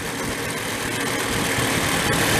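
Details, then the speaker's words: 1970 Benelli mini bike parked 40+ years, being revived: small two-stroke buzzing steadily and rising evenly in pitch with throttle, no misfires; it runs cleanly while fuel is toggled to hold the carburetor float level, otherwise the float drops and it starves. "the screws in the right spot the throttle even sound good but then of course it's going to run out of gas in a second because the float level goes down too much"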